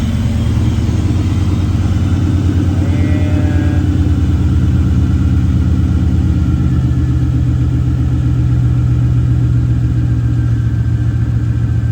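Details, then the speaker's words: LT1 V8 swapped into Mazda B4000, running on a lift with ignition scope attached: deep rumble with uneven, lumpy beat and occasional stumbles; cylinder eight suspected of misfiring, caused by a stuck injector. "cylinder eight right there I think I got something going wrong with cylinder eight"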